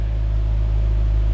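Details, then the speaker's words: 2006 Mazda Miata NC at nearly 100,000 miles, just after first spark plug replacement; idling out of gear, clutch out: deep, steady, even idle rumble with no stumbles or skips, no misfires or warning lights. Normal idle. "Seems like we're good. No issues, no lights,"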